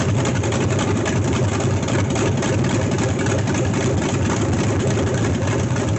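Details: LS1 V8 swapped into C3 Corvette, first start in garage, fans not hooked up, short run. Deep, even V8 burble at steady idle, no misses, knocks or ticks, smooth lope: normal idle.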